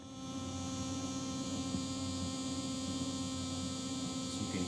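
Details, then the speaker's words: Bluetooth cassette player playing a blank tape, volume turned down: a steady buzz with a faint whir underneath; the whir is the tape motor, plus an awful high-frequency buzz leaking into playback. "the worry you're the whirring that's the motor but there's also this really awful high-frequency buzz"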